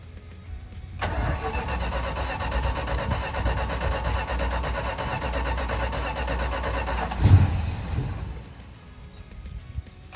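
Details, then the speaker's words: 1965 Dodge Custom 880 sedan, first start attempt after 3 years sitting, fuel poured into carburetor bowls: several seconds of steady starter cranking, then one brief cough as it fires and dies; cranks but won't start. "Well, she spit."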